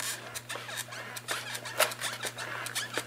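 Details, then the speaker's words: RC car (Xmax) suspension pushed by hand: scratchy, irregular squeaks from a bent suspension hinge pin. "hear that squeaking we bent one of the uh the pins in there the hinge pins"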